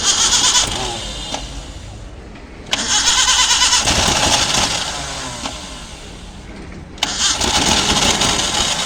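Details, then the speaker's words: Maruti Gypsy cold start after sitting a long time, with a little petrol poured into the carburetor: the starter churns in long bursts but it never catches. Crank no start; the fault is blamed on the carburetor idle valve, needing replacement or cleaning with petrol. "ഇത് complaint കാർബറേറ്ററിന്റെ ideal വാൽവിന്റെ ആണ്"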